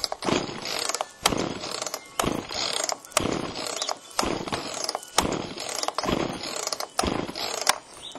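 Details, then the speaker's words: Chainsaw after Texas ice storm, choke on, carb screws untouched: eight steady rope pulls about a second apart, ratcheting whirr, no firing; spark later confirmed present, compression to be checked. Cranks but won't start. "feels like it was trying is it on here well it was trying"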